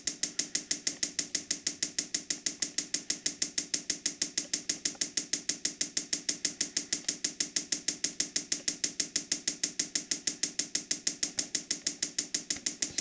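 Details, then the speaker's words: Diesel parking heater on bench test, clamped in vise, fuel line in a gallon of diesel, priming per instructions: sharp even ticks about three per second, nothing else audible; dosing fuel pump priming normally. "So you can hear the pump clicking. sucking fuel up."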